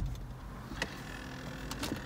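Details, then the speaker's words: GM Yukon/Tahoe/Silverado/Escalade HVAC reset: after power is restored, the key is held in the first position about 5 minutes. Faint motor whirs and soft clicks as the step motors self-recalibrate; normal. "all the various step Motors in the car are going to reset you're going to recalibrate and then you can turn it on and everything should work correctly"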